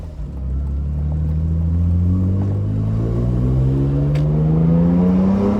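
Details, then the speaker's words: BMW E46 M3 after fixing the EML light issue, pulls in different gears from 3000 to 5500 rpm: strong clean full-throttle pull, pitch climbing smoothly with no stumble; throttle bodies now opening fully, normal. "but the thing is now can absolutely hear that the throttle bodies are opening up all the way"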